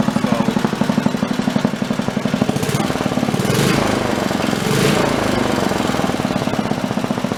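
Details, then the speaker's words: Wisconsin BKN single-cylinder engine, fully warmed up, after Fairbanks Morse magneto repair with temporary plug wire: steady, evenly spaced thumps about three a second; running smoothly, valve lash possibly slightly loose. "That runs pretty good. Engine is fully warmed up."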